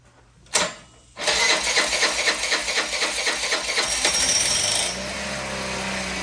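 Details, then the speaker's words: Old Honda Elite 80 scooter on the bench, no throttle cable: sharp pop, then the small engine runs harsh and uneven with irregular rattly pulses; rough running, owner thinks it needs exhaust back pressure. "hey there we go it doesn't sound very healthy but it's running"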